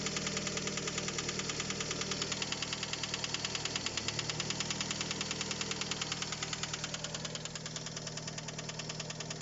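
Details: 2007 Fiat Albea at idle, no fault code: sharp, even ticking knock about three per second that appeared suddenly. Caused by a stuck VVT phaser valve; disassembled and cleaned, knock gone.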